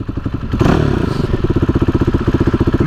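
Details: Uneven, lumpy idle on a KTM motorcycle with idle and fuel-delivery trouble, a repetitive clattery beat roughly four times a second over the exhaust; the engine stumbles, cause undetermined.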